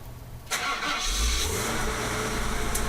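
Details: Older standby generator, one of the newer older units, fitted with a muffler, started by flipping and holding the switch to check how well it starts, not held on load: starter catches within half a second, then an even, steady run with no stumbling; clean start.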